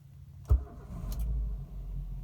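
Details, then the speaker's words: Morning cold start, engine not yet warmed, just after an oil change with genuine oil: cranks and catches in one quick start, then settles into a low, even, steady idle; healthy cold start. "Kebetulan ini pagi hari, belum kita panaskan mesinnya."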